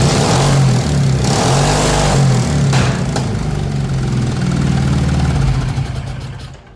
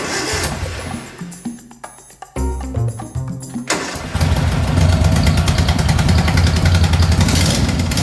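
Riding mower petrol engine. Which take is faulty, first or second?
second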